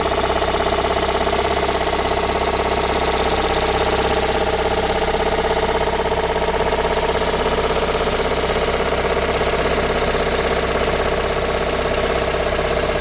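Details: Toyota Raum 5E-FE engine after rebuild, idling: a regular tapping knock about one and a half times a second rides over the engine; source not pinned down.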